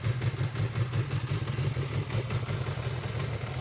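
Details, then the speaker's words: Yamaha R6 after clutch rebuild, first cold start: low, even idle with light mechanical patter and no heavy clutch basket knock; sounds sound cold, some noise remained warm, spring preload error suspected. "я даже не слышу как на холодную корзина бьет по рукам через руль сейчас прогреется посмотрим"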